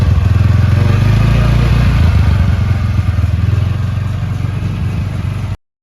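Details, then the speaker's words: TVS Ntorq 125cc scooter after full engine rebuild, including timing chain, piston, cylinder and valve work: low, even idle with no rattle or tapping; earlier bad noises gone and engine now quiet. "अब ये average से बिल्कुल sound से बहुत अच्छी हो चुकी है, पूरी गाड़ी साइलेंट हो गई है।"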